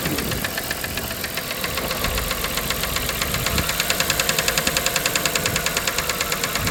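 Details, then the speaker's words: 1997 Dodge Caravan LE after rod and main bearing replacement and new coil pack, running on five cylinders; fast even light ticking over a steady idle, seeming to come from the top end, cause not confirmed. "sounds like up here it does now"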